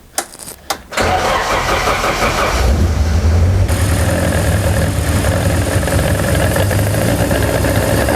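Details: BMW M42B21 four-cylinder engine ("Mighty Mouse", E36 build) after oil pump replacement, about 5 L fresh oil: a few short cranking bursts, then it catches and settles into a steady, low, even idle with no knocks. Normal start and idle.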